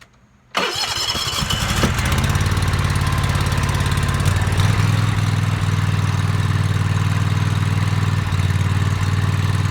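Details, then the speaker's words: Toro TimeCutter MX 4200 twin-cylinder zero-turn mower: it cranks, starts and idles unevenly, repeatedly dropping and recovering, and hesitates while driving. Fuel, plugs, fuel filter and valves were already done; the faulty ignition coils were the cause and were replaced. "So you guys can hear it idles and it drops down, idles, drops down, idles, drops down."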